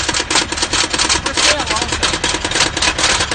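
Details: Subaru with a large hole in the top of the engine block, which reportedly died on the way to work and then restarted: loud sharp metallic clatter hammering rapidly and steadily at idle; rod knock.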